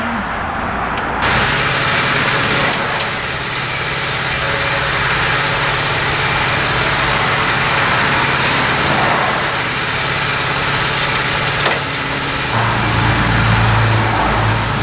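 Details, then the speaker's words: 1979 AMC Spirit AMX sitting for years, 12-volt electronic ignition: starter churns steadily but the engine never catches; no spark, Motorcraft ignition module goo melted out, likely needs a new module; distributor not fully seated, water suspected in crankcase. "But it also has no spark. It looks like the black goo melted out of the Motorcraft ignition module. It probably needs an ignition module."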